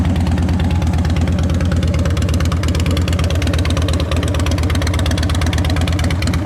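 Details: 2010 Harley-Davidson Dyna Wide Glide V-twin, with a new battery, freshly adjusted clutch and fresh gas: deep, loping potato-potato idle with a steady beat and no tapping or clatter. Normal idle.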